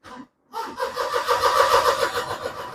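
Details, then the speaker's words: Perodua Myvi 1.0 / Viva that cranks but won't start (wiring, grounding, crank sensor checked; ECU suspected, immobilizer checked): starter churns about 2.5 seconds in uneven labored pulses without firing; battery weak, jump-start needed. "bateri pula weak. Coba kasih anu Zul. Nah, coba. Bateri jumper dia."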